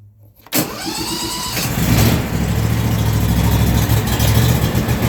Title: lawn mower cold start hard start last ran 3 months ago